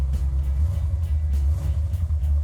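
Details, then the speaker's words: Restored 1970 Dodge Challenger V8 with three 2-barrel Holley carburetors (1,350 CFM) and a Comp Cam of 284 duration, 484 lift: deep, loping idle with steady cam chop, even and strong underneath. A healthy performance idle. "Idle's nice, has a nice bump stick to it. We use Comp Cam 284, 484, 284 duration, 484"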